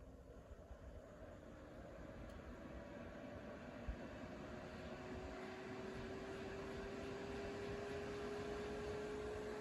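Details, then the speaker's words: Reiker Room Conditioner ceiling fan with built-in heaters, new in box, drawing 12 amps with heater on full and light on: heater mode reverses the fan at its single fixed speed, a bit slower than medium, giving a soft steady air rush with a slowly rising faint tone, pretty noisy but normal. "And you can hear the heater kicking on there. Pretty noisy."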